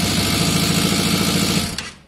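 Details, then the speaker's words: Yamaha Fazer FZS 600 project bike, first start after cleaning terminals and adding fuel: light, quick, even tapping from the top end at idle until switched off; owner suspects the oil level has dropped, cause unconfirmed. "Just it's a bit tappity. I'm aware the oil would have dropped because it would have circulated."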